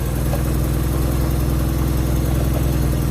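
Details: Nissan 200SX S12 Silvia CA20E after a distributor install, ignition timing not set with a timing light: steady, even low engine hum with no knocks, misses or surges; idles smoothly and sounds healthy.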